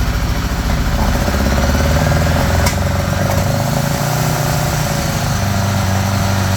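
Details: 1975 Honda GL1000 Gold Wing flat-four, cold start after water pump gaskets and O-rings replaced: smooth, even low burble, slightly fast on choke, no knocks or rattles; no leaking, much less smoke, sounds pretty good.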